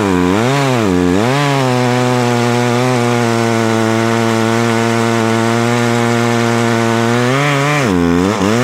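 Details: Poulan Pro two-stroke chainsaw, owned about 12 years, after seasonal clean-up: revs up cleanly, holds a steady high buzz through the log cut, then drops back, with popping the owner likes; strong, normal cutting.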